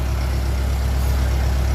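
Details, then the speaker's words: 1957 Ferguson 35 TVO tractor after valve clearance reset and offending push rod removed: deep, steady idle thump with no tappet tapping, quiet valve gear, warming up; normal idle. "Hopefully that's going to sort it. That sounds very good now. Bit more rev. It's warming up."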